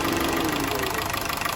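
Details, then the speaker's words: Honda City 2012 factory CNG shaking, lacking power: uneven stumbling idle heard at exhaust, likely gas system fault, dirty gas injectors, before injector cleaning. "ตอนนี้เสียงเครื่องสั่นออกท่อเลยนะอาการนี้ก็น่าจะมีระบบแก๊สมีปัญหาอยู่"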